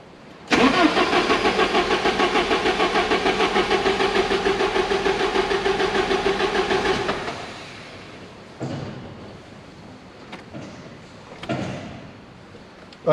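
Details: 1987 Porsche 924S just after a new fuel pump install, with about a gallon of gas: the starter cranks steadily at about three beats a second for six seconds, never catches, then stops. The pump isn't heard, and low fuel is suspected.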